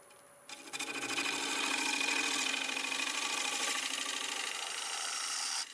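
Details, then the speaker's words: Dry, hard Boxelder bowl blank (about 8-inch circle, 3 3/4 in thick) cut with a 1/2 inch bowl gouge on the lathe. Even hissing scrape at steady speed, no catch or thump; the earlier noise disappeared. Normal cutting. "That noise sort of disappeared."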